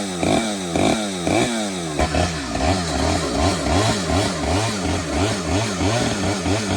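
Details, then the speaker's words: Stihl 009L chainsaw after fuel line and oiler work, cutting wood: a few blips, then a steady buzzing run that rises and falls evenly as it bites into the wood; it runs, oils and cuts well. "All right, that's awesome. I don't know if you could hear me because I didn't have my microphone. It runs, it cuts, it oils, it cuts amazing."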